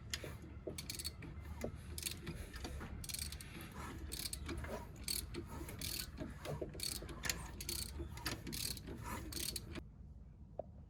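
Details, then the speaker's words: Subaru GC8 EJ207 STi shortblock turned over slowly with intake manifold removed: scattered, uneven metallic clicks over a gear-like whir; points to a valvetrain problem, cause unconfirmed. "When I pulled off the manifold, okay, I've got a socket, and when the engine was turning, you could hear a clicking sound."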